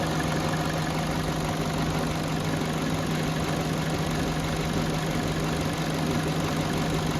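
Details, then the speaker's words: Steady smooth idle of a 2011 Peugeot 207 warmed to 90°C with the radiator fan running and the ECU relearned, after earlier rough idle, misfire, vibration and stalling; normal idle. "So ayan Ah 90° Cel iyung temperature. So normal ang idle. Ayan. Okay na yung kanyang idle tsaka yung temperature."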